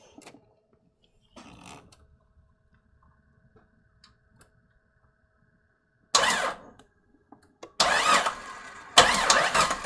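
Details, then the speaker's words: Rebuilt Jeep XJ 4.0 engine, first start attempt after rebuild, in park: starter cranks in short bursts with long gaps, turns over nicely but never catches; possible knock heard; owner suspects fuel not yet there or a neutral safety switch. "That sounds... What did I hear? Well, it sounded like I heard something knocking, but at least we got the starter going. So for some reason it's not activating though."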